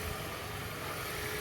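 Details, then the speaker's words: 2013 Toyota Prius hybrid, warmed up, being checked for a customer complaint of knocking/misfire at start-up. Quiet, even idle with no knocks or stumbles; running perfectly fine, no misfires, concern not duplicated. "it's running perfectly fine I don't see no misfires or nothing"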